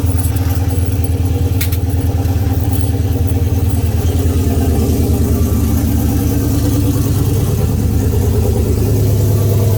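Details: Oldsmobile 442 V8 first start after rebuild (new cam, pushrods, oil pump, valve springs, heads, gaskets following broken valve spring, bent valve, scarred piston); 92 psi oil pressure; deep steady idle with even lope, no knocks or ticks; normal idle.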